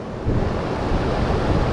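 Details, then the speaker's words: Heat pump outdoor unit after reversing valve and filter drier replacement, being recharged with refrigerant: steady whooshing fan with low even rumble, no rattles or surges; repair successful, running normally. "but we're charging all right our repair is successful"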